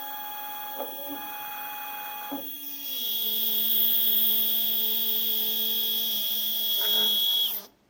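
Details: Two Z-axis steppers wired in parallel on one Duet driver, current raised for two motors, acceleration 120, feed rate 2000: a whine steps up to a steady high buzzy tone with rough catches, then cuts out. Motors are stalling and vibrating, cause unknown.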